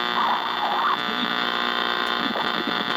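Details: Estate-sale transistor radio: a steady, buzzy mains-type hum with hiss runs through the whole tuning sweep. The owner suspects a noise source in the house rather than a fault in the set. Hum and noise in radio reception.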